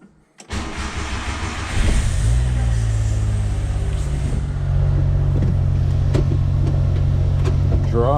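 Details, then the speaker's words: 1995 Subaru Domingo micro camper, off the road a long time: brief crank, engine catches cleanly and settles into a steady, even idle with a low smooth drone; fires straight up and runs fine. "it doesn't need a great deal of work even though it's not been on the road for a long time uh it fires straight up kind of drives around on the button"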